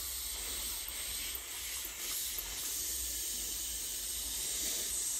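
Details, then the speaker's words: Commercial steam whistle valve from a 5-inch-gauge live steam locomotive, on the bench, blown through from the boiler side next to the microphone: steady high hiss barely changing when the lever is worked; valve not seating, leaking; spring or debris suspected. "i'm going to blow through the boiler side and you should hear it escaping out there because it's not seen properly"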